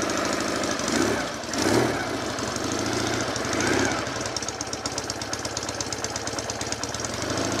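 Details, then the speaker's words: Twin, carbs flooded with no choke, started on one kick: steady, lumpy even tickover with no odd knocks while warming up; normal idle, expected to rise slightly when warm. "right turn ignition on get a red light so one kick very smooth engine"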